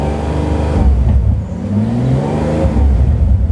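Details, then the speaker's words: Bentley Continental GTC Supersports, stationary, revs held around 2,000–3,000 rpm to check for bottom-end chatter: a deep, even, smooth rev with no rattle or chatter. The bottom end sounds healthy. "With this, you can see hear it's super smooth. It's lovely."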